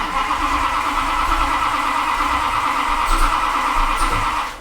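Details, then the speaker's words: Max Wedge Mopar V8 with two carburetors on a dyno, camshaft not yet broken in: long steady cranking that never fires; owner suspects flooding. "come on it's flooded come on every engine I get it started first shot what happened to this one two carburetors why"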